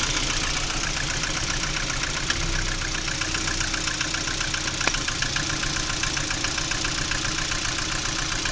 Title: Стук двигателя приоры.